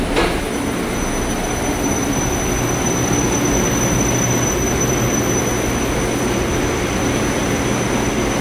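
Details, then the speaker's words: Haughton Type 601 DC gearless traction elevator machine, installed 1980s, 104 hp, 1200 FPM, very low RPM, recorded in machine room: smooth even low hum with faint steady high whine, no knocks or grinding; normal running. "okay machines are very low RPM for how fast they travel down there into the shaft"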